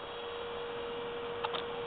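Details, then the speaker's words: 2005 Toyota MR2 pressure-sensing electric power steering pump fitted in the front wheel well of a 1966 Ford Fairlane, running unloaded: a soft, even hum at one steady pitch with no rattle or grind, quiet and healthy. "i'll turn it on you can hear how quiet it is okay i'm gonna turn it on there it goes super quiet"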